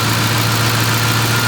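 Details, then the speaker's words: 2010 Ford Expedition 5.4 Triton 3V V8, about 230,000 miles, after new Motorcraft timing chain, guides, cam phasers, oil pump and VCT solenoids: smooth, even idle with no timing chain slap; exhaust leak and noisy lifters remain. "no more timing chain slap at startup no more timing noise whatsoever running idling"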